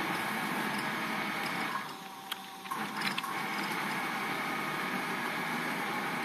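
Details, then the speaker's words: DIY CNC machine with servo motors on GeckoDrive drives (48V on 60V motors) moving its axes: quiet, low servo hum and soft whirs, no grinding; runs well, slight vibration at end of travel. "So it's very quiet. Really not making any noise here, it's just a little, you hear the motors a little bit, but other than that, it's actually running quite well."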